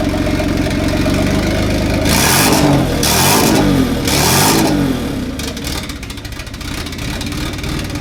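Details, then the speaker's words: Isuzu 350 newly turbocharged, no exhaust fitted yet: loud unmuffled revs sag and stumble, then a lumpy idle. It floods on revving because vacuum opens the dump valve, sucking false air so the airflow meter reads incorrectly on an unsealed system. "And so what happens there, why it floods when you rev it, is it opens the dump valve, and it sucks false air there because the vacuum opens the dump valve, and then the airflow meter reads incorrectly because it's getting air from here and not on a sealed system."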